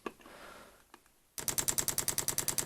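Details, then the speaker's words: 24 V pump bodged onto a 12 V heater, primed by holding the controller's inject-oil button: quiet at first, then sharp even clicks about six a second as the pump starts moving fuel from the tank normally. "so with this controller you just press and hold the inject oil button and it primes the pump so we should see fuel coming out of the tank"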